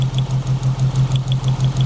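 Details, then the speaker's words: 1995 Mitsubishi Libero, 4G15 engine, running with test light on the plug lead: low, lumpy idle with a pulsing beat and sharp ticks each cycle. Spark barely jumps from the distributor, a weak spark causing the customer's loss of power while driving. Plugs, cap and wires were already replaced. "So what we have here is a weak spark. So I'm gonna inform the customer that he have to get a distributor, right?"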